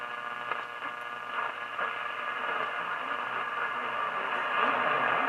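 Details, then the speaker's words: Philco 38-7 radio after its capacitor blocks were repacked: a steady hiss and hum with a station barely audible through it; weak reception, cause not yet found, with rusty tuning cones noted. "i can kind of hear a station in there"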